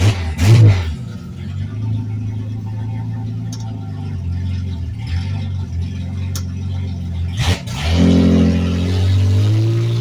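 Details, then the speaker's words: Turbocharged Ford 300 inline six swapped into a Torino, tune still very rough: revs surge unevenly, hunting and stumbling at part throttle with deep rumble; tuned only up to where converter locks and boost starts. "but it goes in gear and it sounds like it's not gonna have a problem making boost obviously I'm not going to try to box this thing up because the tune is still real rough"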